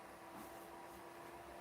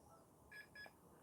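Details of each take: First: 2007-era desktop PC with DDR2 RAM after RAM and CPU upgrade, first power-on: steady whirr with faint even tones as the fan ramps up; no clear fault audible. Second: we have a double beep hey zoom in on this so much way too much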